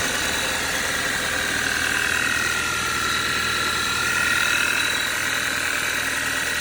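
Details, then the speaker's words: Cold idle, cover removed, on a 2013 Audi 2.0 TFSI gen2 with Stage 1 Revo tune and 150,000 km: a sharp, light, steady ticking knock about four times a second from inside the engine. Owner suspects a piston pin but is unsure. "И что-то вот схожий звук, как с пальчиком, что ли. Но, может, я ошибаюсь."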